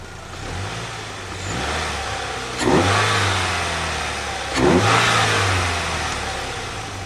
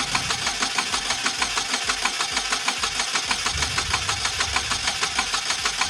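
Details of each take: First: 2008 Pontiac Solstice after head gasket replacement and faulty cooling fan replacement, smoking stopped: two clean throttle blips rising and falling smoothly, no knock or rattle; engine quiet and healthy. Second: 2008 Pontiac Solstice just started after head gasket replacement (cooling system had leaked water pump): sharp regular tick about 1.5 per second over rough idle; possibly gasket leaking, cause unclear; engine later ran quietly.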